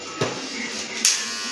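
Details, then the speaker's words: Wahl Legend hair clipper fitted with a resharpened blade and lightly oiled: smooth, even high buzz with no chatter or rattle apart from a couple of handling clicks; quieter than with the original blade, running normally. "Langsung dia suaranya nggak terlalu berisik ya."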